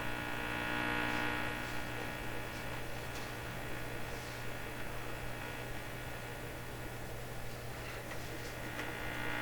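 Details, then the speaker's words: Canadian Westinghouse 683A three-band tube radio at first power-up, signal generator at full strength; loud steady low hum drowns everything, faint crackle on top; set essentially working but very poorly, tubes seem functional. "With the radio making this sound, I'm feeling a little hopeless here."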